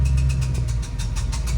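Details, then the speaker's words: 1966 Mustang with new Blueprint 347 stroker, clutch and flywheel came already on engine: heavy V8 idle with a rough, scraping noise whenever the clutch is pressed; a friend suspects the throwout bearing, unconfirmed. "So yeah, now I am getting that sound every time I push my clutch in. I tell my buddy about it and he thinks it's the throwout bearing."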